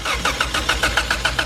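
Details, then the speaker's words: Ford EF sedan with OBD1 injectors and no resistor box, spark confirmed: starter churns about seven even pulses a second with brief catches that never run; stays running only with brake cleaner, owner suspects low fuel pump pressure. "I cannot get the car to run and stay running but it would stay running with me kind of pulsating some brake cleaner through the throttle body it would stay running"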